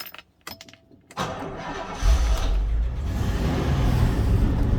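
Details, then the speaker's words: Old Series 1 Rolls-Royce Silver Shadow that stood 30 years with a seized engine, now restored: quiet clicks, short crank, then catches cleanly and settles into a steady, even idle; starts okay. "See, it seems to start okay there."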